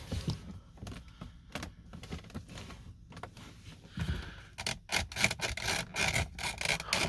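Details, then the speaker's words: 2011 Mercedes-Benz R350 interior: irregular sharp creaks and scraping rubs in quick bursts as a loose trim panel is pressed, also heard over road bumps. "oh yeah i just love hearing that whenever i hit a bump in the road it makes me feel so luxurious and expensive makes me feel good about my purchase"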